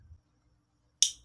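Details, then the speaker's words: Motorcycle starter relay (Supra 125/Vario) bench-tested with battery power applied: one sharp, crisp click, meaning it still works; normal starter relay click. "Tia terdengar ya ini berarti masih masih kerja"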